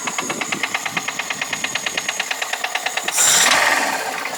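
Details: VAZ 2108 at idle: a steady, sharp ticking knock at about three per second over a quiet idle, then a rev. This is an engine knock of unclear cause.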